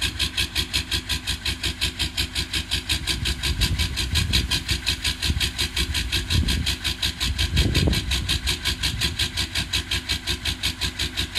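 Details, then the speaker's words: Old Detroit V8 diesel cold-started unplugged at -22°C with only 6 of 8 glow plugs working: heavy, lumpy, loping clatter near three beats a second, six of eight cylinders firing; rough cold idle. "well six of eight cylinders firing like chimp long as nobody calls Environment Canada we might be fine"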